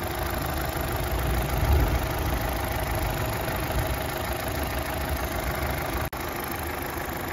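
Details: Opel Astra H sedan 1.6 XER engine, about 154,521 km, after a full engine rebuild for a broken piston and bent connecting rod: steady, even low idle with a smooth rumble and no ticking, knocking or shaking; healthy.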